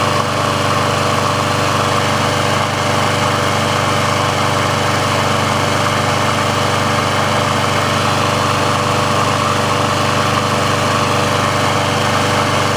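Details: Briggs & Stratton engine on a Sears Craftsman mower after service/repair, warm with the auto choke open: steady, even speed with a smooth, consistent drone and no misses or surging. The auto choke works as it should, so running is normal.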